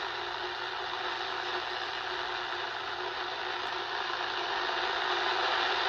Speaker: Hear how you clearly hear CW happening, but there's no tone. You hear that? So we have no BFO is the issue still.